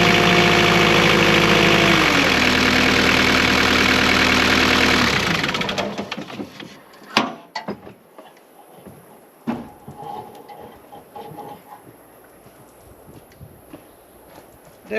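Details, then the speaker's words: Small engine idling after exhaust repair with exhaust refitted: steady, regular beat for a few seconds, then shuts down cleanly, no knocks; quieter, normal idle. "quieter if you ask me all right"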